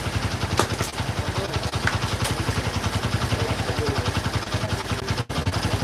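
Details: Old Honda GL Pro single-cylinder motorcycle, after speedometer fitting, described as old but tidy and smooth: even putter near idle at about two and a half beats a second with no rattle or knock; normal healthy idle.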